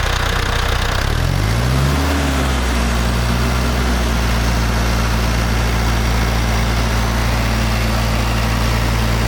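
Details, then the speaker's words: International Harvester TD-7 Series C bulldozer diesel after rebuilding its Bosch VA4 injector pump, new battery, starter fluid: catches, rises briefly, then settles to steady even low idle, no misses or knocks; pump good, no leaks. "the fuel pump is good there's no leak and the desert start fine and run fine"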